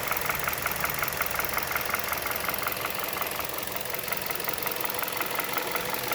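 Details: 2011 Hyundai Solaris, G4FC engine, 166k mileage, warm at 77°C coolant and 700 rpm: a light, steady top-end tapping persists despite a new timing chain, tensioning and decarbonizing; the source is not pinned down.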